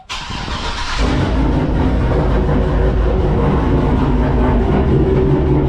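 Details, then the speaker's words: Turbocharged GMC truck V8 with small Texas Speed cam (224/228, .600 lift, 112 LSA), methanol injection, used for towing and work; quick catch then steady, slightly loping idle with deep even exhaust pulses: normal cold start and idle. "The Texas Speed cam does sound good, but it is a small cam."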